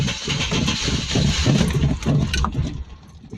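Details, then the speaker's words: 1989 Chevrolet S10 Blazer, oil pump suspected not working: rapid cranking at about three beats per second, then the engine catches roughly and settles; hard start, cause unknown. "yeah it's trying to start but I just wanted to run it"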